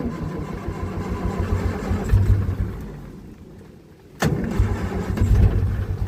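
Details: 1947 Austin 16 off the road since 2008, first start after only a fuel pump rebuild, with a little choke: low, uneven chugging on the starter, a brief drop-off, then it catches and picks up. A rough first start.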